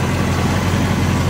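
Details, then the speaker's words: 1970 Chevelle SS, 74,426 miles, original 396 big-block rebuilt (360 hp), rebuilt Turbo 400, chambered exhaust with no mufflers: deep, even, throaty idle rumble with steady beat, no knocks or misses; normal idle. "Very nice. It has chambered exhaust."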